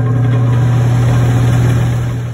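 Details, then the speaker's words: Attic fan after its noisy motor was replaced (it had been clanking loudly at night), heard at power-up; a steady, even low hum with no rattle, ticking or scraping, and the new motor runs clean. "哎，这回声音听着就不错，就是挺干净的，没有什么杂音。"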